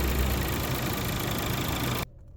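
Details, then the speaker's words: 2022 Volkswagen Polo Liftback 1.4 petrol idling after alternator servicing: steady even hum, the earlier alternator noise (which vanished with throttle) now gone or much reduced. "После ремонта генератора шум прекратился."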